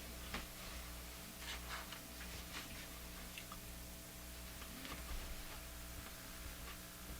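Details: Crosley Model F-5 radio, tested after replacing a 35W4 tube: a steady low buzzing hum with stacked overtones under faint station audio. Hum persists, and the owner suspects the shop's wiring rather than the radio.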